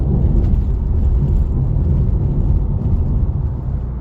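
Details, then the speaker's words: Seat Leon Mk3, 10+ years and over 275,000 km, driven with the sunroof closed over the rough asphalt that used to trigger its noise, after a DIY fix. Only low road rumble is heard, with no overhead ticking or rattling; the sunroof is now quiet. "Perfect. Now nothing is heard and it has been solved."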